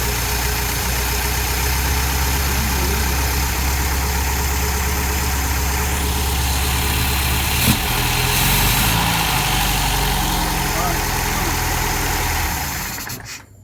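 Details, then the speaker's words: 1973 MGB GT, first start after engine rebuild and refit into gutted bay: steady, even idle with smooth low rumble, no knocks or misses until shut off; healthy running. "But now, here we go. Ready? Give it a start. Steady. Go. Right. Listen to that thing purr."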